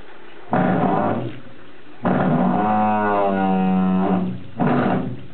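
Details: Water hammer in an office sink's supply pipes: three loud groaning, honking bursts as water flow starts and stops.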